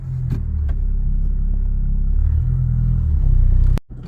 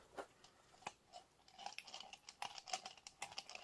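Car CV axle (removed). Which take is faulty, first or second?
second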